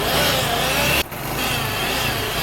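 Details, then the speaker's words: Honda CD70 motorcycle engine running: a raspy whirring rattle appears while the clutch is pressed and stops when it is released. The cause is suspected inside the clutch assembly, possibly a worn release bearing; the full side cover is removed to fix it. "तो दोस्तों, जैसा कि आपने आवाज़ सुनी है, clutch press करते वक्त आवाज़ आती है, क्लच अगर छोड़ देते हैं तो आवाज़ ख़त्म हो जाती है। इसका मसला जो है क्लच टापे के अंदर हो सकता है।"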